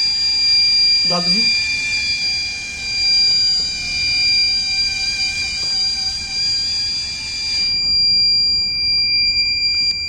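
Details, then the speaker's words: Solar-powered water-surface garbage-collecting robot boat (HVS-3316, ESP32-CAM): continuous high-pitched buzzer for about eight seconds, then cuts off; bin-full alarm with visual indicator, switches off once bin is cleared. "Right, so when it is filled, so as we can hear the sound, so the dustbin got filled and we can see the visual indication here also, so that we can drive the robot backside and we can clear this dustbin."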